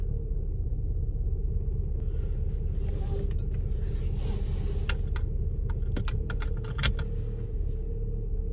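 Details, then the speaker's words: Vauxhall Astra that stuttered on a trip, idling after its EGR valve was cleaned. A low, uneven idle rumble that dips and surges, revs hovering and peaking a little; the cleaning has not cured the rough idle, cause unclear. "yeah I don't think that's done anything it's kind of hovering around one and peeking a little bit bit and going down"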